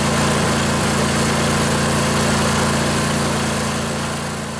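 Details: Junkyard Husqvarna riding mower's Briggs & Stratton Intek OHV twin (20-22 hp, model 40777), running after new carburetor and minor service: even, steady idle with smooth low beat and no misses or knocks; normal idle.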